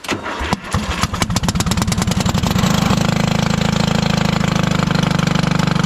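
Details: 1996 Craftsman LT1000 lawn tractor with spark confirmed after a fuel-fouled plug: cranks, catches and settles into a fast, harsh, unmuffled popping at steady idle; exhaust leak from a muffler found split in two.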